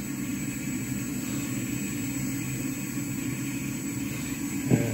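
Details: Walbro 450 LPH fuel pump (Ti Auto F90000267) on a bench flow test at 17.5 volts, going from 40 psi (2.3 gallons per minute, 20.2 amps) toward 50 psi: an even electric hum with a thin steady high whine and no surging or rattle; the pump sounds healthy.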